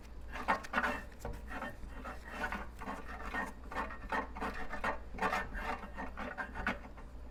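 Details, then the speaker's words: 20-inch California Trimmer reel being seated to a newly installed bed knife with new screws, turned slowly: rasping scrapes come and go, touching at some spots and silent at loose spots, showing uneven reel-to-bed-knife contact. "so it's touching right there and then you want to listen to it go all the way across a loose spot right there it's not touching anything spot over here it's not"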